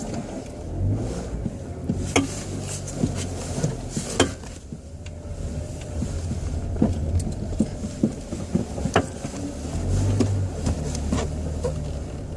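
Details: 2006 Chevrolet Cobalt Coupe, 99,000 km: irregular sharp clicks and dull clunks when turning the steering wheel at low speed, when parking, backing out or in first gear; binding steering intermediate shaft, fixed by replacing the shaft kit.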